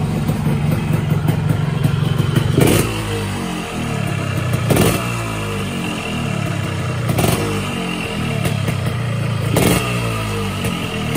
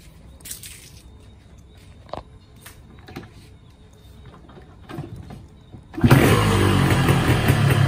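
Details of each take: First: 2007 Yamaha RX King two-stroke motorcycle, unused about 2–4 years, started after refilling fuel and a few kicks, previously repaired; steady even idle with low buzzy beat and short throttle blips, runs cleanly; clutch stuck and not working, to be repaired. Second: Yamaha RX King 2007 two-stroke, not started for 2 years, clutch suspected stuck and not yet adjusted: a few quiet taps and rattles, then it catches and runs loud and rough.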